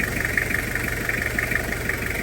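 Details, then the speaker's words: Toyota Kijang Krista diesel idling during brake bleeding after a brake leak repair: steady, even diesel clatter with a regular beat and no knocks or misses, described as still very crisp and "gurih"; a healthy idle. "Ini suaranya renyah betul masih ini, gurih betul suaranya."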